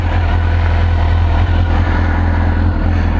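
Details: 2002 Suzuki GSXR 1000 warming up after yearly maintenance (tank rinsed, pump cleaned, new air filter and plugs, fuel injection cleaner and high-octane racing fuel added): steady deep even burble at idle, no knocks or rattles; healthy.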